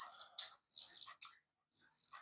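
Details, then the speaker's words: Secondhand wind-up clockwork toy that won't wind its spring: short high-pitched whirring bursts with no steady ticking, the mechanism flying around instead of stepping because the plastic escapement pallet slips; repair unsuccessful. "it does a bit and then lets it do the next bit and then next bit so it steps around rather than flying around and what it's doing now is flying around"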